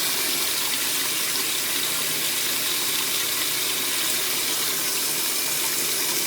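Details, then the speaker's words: Vintage Maytag washer filling for the rinse cycle: steady rushing hiss of water pouring in evenly, no pump strain or clatter; normal fill. "fills it right on up cascades like a waterfall coming off a mountain"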